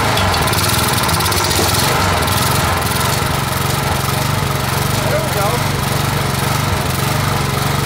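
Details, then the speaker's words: Junk-picked Craftsman (MTD) steel-blade edger, Briggs 3.5 hp single-cylinder, first run after revival, blade engaged: quick fairly even beat about three firings a second, running steadily and sounding healthy; normal running. "Sounds good. So probably could use a little bit more."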